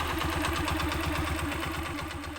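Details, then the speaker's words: Honda TMX 125 single-cylinder, warm, before tune-up: fast, sharp light ticking over an uneven, lumpy idle that isn't steady; loose valve clearance, idle RPM needing adjustment; valve tappet tick with rough idle. "mga bub so Ayan mga ka- basic pakinggan natin at kung mapapansin niyo yung medyo matinis na lagitik ah yun Yung kanyang mga b ba at Ah hindi rin maganda ung kanyang idem Hindi buo"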